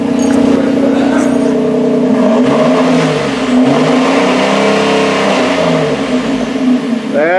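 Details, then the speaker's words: Ford Edge after a flex pipe repair and resonator delete: deep, even exhaust rumble rising and falling cleanly with each rev, with no rasp, leaks or rattles; normal exhaust note. "the sound i wanted to hear she rumbles a little bit wow she sounds sweet don't she folks"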